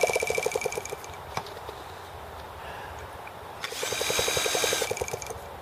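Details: T26 engine at 3 °F (-13 °C) after a valve job, rocker arm and carb adjustments: it cranks with fast chuffs, coughs and sputters, then dies; it sounds very flooded and the carb freezes up once it tries to run on its own.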